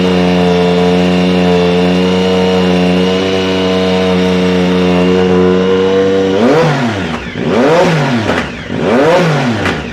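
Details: 2010 Triumph Speed Triple SE with new untuned Competition Werkes exhaust, SAI block-offs not installed: revs up steadily, then on each throttle close the exhaust crackles and pops as revs fall; popping on overrun, cause suspected, not confirmed.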